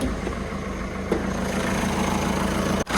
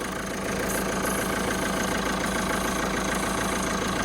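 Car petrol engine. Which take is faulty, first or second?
first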